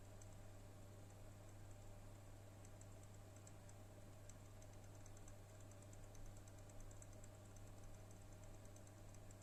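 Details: HP OEM NVIDIA RTX 3060 Ti 8GB graphics card, about a month old, at idle with both fans at 30% (1098-1123 RPM): low steady fan hum with light, random, irregular ticks from the right-hand fan only; cause suspected, not confirmed.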